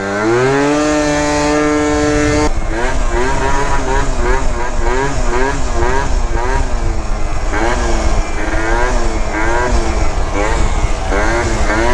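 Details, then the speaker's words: 70cc Yamaha Zuma prebug two-stroke with a new Yasuni R pipe and tuned over-range CVT kit: revs up and down, breaking up and sputtering badly at the top end, also at the bottom end off throttle; owner suspects something in the motor, possibly needing a rebuild. "I can hear sputtering really bad in the top end, and then once I let off, I hear it in the bottom end."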